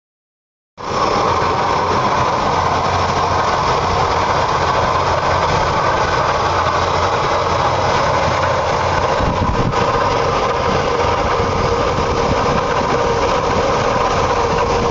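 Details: Oldsmobile 350 V8 idling with all belts attached, constant whirring, rushing noise over the low rumble; source unidentified.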